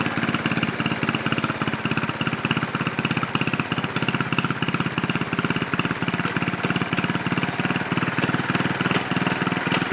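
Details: Original 1963 Cub Cadet single-cylinder on its first drive after clutch work, throttle not hooked up, running on the governor: crisp, even putt-putt pulses at a steady pace with no misses or knocks; normal running.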